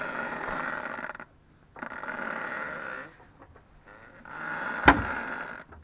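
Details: Ford Focus 2, 2.0 automatic, new Loebro drive shafts at 1000 km: both outer CV joint boots, left and right, squeak as the steering moves, with repeated rubbery groaning squeaks in short bursts separated by quiet gaps.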